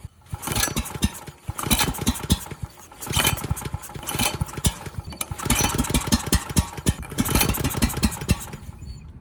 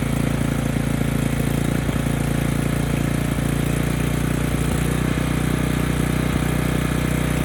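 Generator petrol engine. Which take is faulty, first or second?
first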